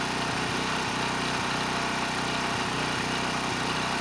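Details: ETQ 2700-watt generator with brushless powerhead, found not running after years in storage: steady, even speed with no hunting or surging at 100 watts over rated load, near 61 Hz and 118 volts; normal running under load.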